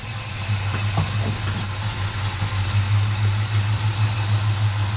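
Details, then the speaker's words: 1957 Chevy Bel Air V8, first run in 30 years after tightening a loose fuel line, possibly weak fuel pump, coolant leak still to find: deep, steady burble at idle, even low rumble, no misses or knocks; normal idle. "right on runs good"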